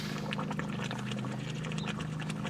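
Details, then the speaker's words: 30k-mile hurricane salt-water-flooded C4 Corvette overheating with rotten coolant, temperature climbing: steady engine hum under busy gurgling and bubbling as coolant boils over and pukes out; coolant boiling. "Yep. Here we go. She's going to start puking. And there it is. Well, ain't much I can do about that. Yeah, she's uh she boiling hot."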